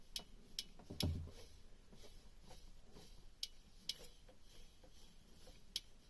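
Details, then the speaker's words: Beta Marine 38 diesel on a narrowboat, new alternator turned by hand while chasing a tapping noise: faint light uneven ticks a few per second, just the alternator brushes, normal. "That's just the brushes inside. That's a new alternator anyway."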